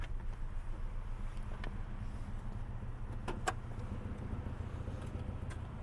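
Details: Idle heard from outside the car: low steady rumble with a faint uneven thump around two per second; the car also shakes its mirror and steering wheel at idle; knock source not identified.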